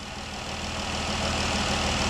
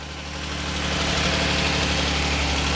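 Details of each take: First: 2012 Dodge Durango 3.6L Pentastar V6 after replacing the noisy roller rockers on one side: smooth, even idle with soft hum and no valvetrain tick; ticking fixed, normal idle. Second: 2012 Dodge Durango 3.6L Pentastar V6 at cold start first thing in the morning, idling; light, fast, steady valve train tick that persists after oil reaches the top end.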